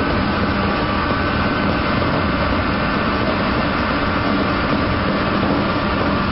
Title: Centrifugal pump//amazing sound of cavitation in the centrifugal pump//machine//industry//mechanical